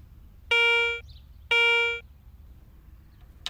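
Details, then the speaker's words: Garrett ACE 250 metal detector in all-metal mode, a coin swept across the search coil: two clean, bright half-second tones a second apart, the normal coin response. "Targets with a high conductivity, such as most U.S. coins, produce Garrett's exclusive coin alert, while targets of medium conductivity, such as jewelry, nickels, or foreign coins, sound like this."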